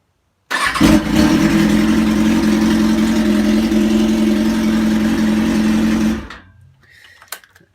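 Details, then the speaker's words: 2003 Kawasaki ZX6R that wouldn't start, fixed with a used replacement starter after the old one was gunked up and seized, new battery fitted, no gas tank installed, 40 degrees out; the starter spins briskly and the engine catches at once and runs evenly. "all right you started no gas tank or anything so it's not gonna run but just proving that that's what the problem was hahaha it's 40 degrees out not gonna take you for a ride but bike is working"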